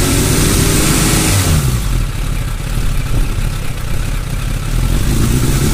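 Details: Suzuki Bandit 600 four-cylinder idling low after a rev drop, its beat uneven and occasionally stumbling; rough idle, with the owner noting fluctuations in cylinder 3.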